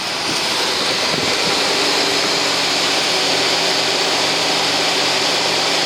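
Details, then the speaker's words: 1978 Ford Thunderbird that had been sitting, flooded but started, quarter tank of fuel, choke still on: an even, steady run, mostly hissy and airy, with no knocks or misses; normal running. "this listen to that just running great"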